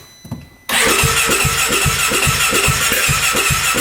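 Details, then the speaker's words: 2017 Polaris RZR 570 UTV, lights working: steady starter cranking with rhythmic exhaust puffs about four a second, but it never fires or catches; crank, no start. "can hear it kind of puff out the exhaust there. Yeah, we're not getting anything."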